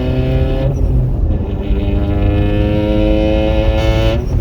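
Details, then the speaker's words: Mitsubishi Lancer with a DIY turbo fitted and open exhaust, driving in second gear: loud, raspy note climbing steadily in pitch with some snap; normal turbo engine acceleration, exhaust fumes entering cabin. "It's I like it, but it is loud. It's got some snap to it. So but runs."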